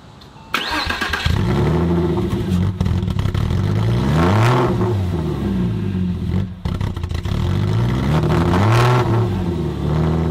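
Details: 1998 Porsche Boxster after an engine swap, on a cold start: the revs swing up and down every couple of seconds and never settle, struggling to find idle.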